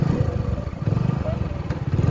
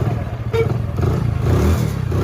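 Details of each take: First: Hero Passion Pro motorcycle idling after a full engine rebuild and washing: single-cylinder idle stumbling in uneven low pops; sputtering because petrol is low, the tank having been run down during the engine's cooling run. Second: Hero Passion Pro after a full engine rebuild and refit of general parts. Low, steady single-cylinder thump-thump at idle with no knocks or rattles; even and healthy.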